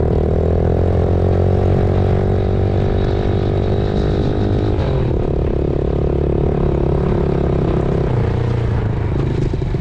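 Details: 2000 Yamaha TTR90 single-cylinder dirt bike after repairs (carburetor refitted, chain lubed), started on one kick, outdoors: loud even putter holding a steady idle, no misses or knocks; runs well, though chain may be slightly too tight.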